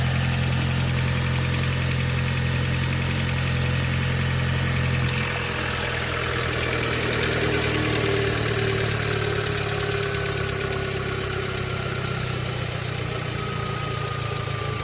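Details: 2020 Audi S3 idling down from a cold start: fast, fairly steady rattling tick, about three a second, as idle speed drops. It seems to come from the timing chain case; OBD shows camshaft positions of 0.0 intake and -5.2 exhaust. Cause unconfirmed.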